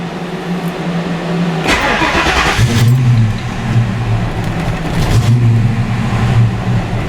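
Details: Fox Body Mustang with new O2 sensors, warm start with the engine not fully warmed up: the starter grinds briefly, the engine catches, then hunts and stumbles before settling. Same hard warm start problem, cause unclear.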